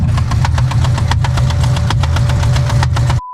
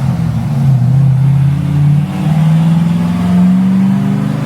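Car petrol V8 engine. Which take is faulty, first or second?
first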